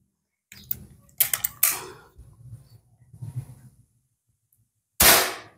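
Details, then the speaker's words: Predator PCP air rifle with inconsistent accuracy, after reassembly with barrel aligned, no shroud: short, sharp cracks with a clean, even snap; normal crisp, consistent shot sound. "ya Nah itu ya bunyinya cetek enak bunyinya dengarkan mantap bunyinya cetek ini kalau dikasih perdam nanti bunyi ya cetung cetung nah ini mantap"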